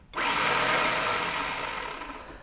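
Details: 2005 Ford Explorer 4.0 SOHC, spark plugs disconnected: starter whirs freely, spinning up and fading without turning the engine. Bendix extends on the bench, starter has power and the engine turns by hand; cause unknown.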